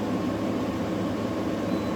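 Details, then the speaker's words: New GE 10,000 BTU window AC (AWFS10WWL) on cool, fan speed high: steady even airflow hiss with soft fan hum, no rattles or scraping; compressor nearly inaudible but air almost ice cold; running normally. "Uh, I was thought it wasn't working there for a minute cuz I couldn't hear the compressor, but now I feel the air is almost ice cold coming out of there. And that's the compressor running."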